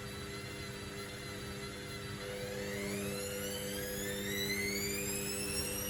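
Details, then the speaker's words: Candy Grand O Vita GV139D3 9 kg washer, street find, 14-minute rapid test wash: the whine climbs steadily as the drum speeds up over a few seconds, no knocking, already extracting water. Normal slow distribution spin before the full 1000 rpm spin. "a little drop of water, because even spinning at this low speed is getting some moisture out of it."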